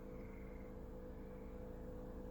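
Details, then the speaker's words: 2006 Chevy Cobalt 2.2L four-cylinder no-crank, no-start with a new battery, key on: a faint steady low hum, possibly the electric cooling fan running; no communication with the ECM or BCM, while the other electrics all work. "interesting thing I hear the maybe the electric fan is on"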